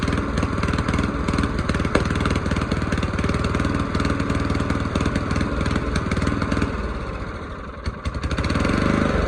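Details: Old mower's original single-cylinder engine after its carburettor was cleaned, jets cleared and a new gasket made. A fairly even thump at about four beats a second, with a brief sag and pickup near the end. Normal running.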